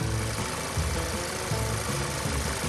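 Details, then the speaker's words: VW MK7 GTI idling after installing an ECS silicone turbo inlet hose replacing the stock plastic: even steady idle rumble, no misses, ticks or intake hiss, music underneath; owner finds it a little quieter, normal idle. "a little bit quieter, probably thanks to the tubing."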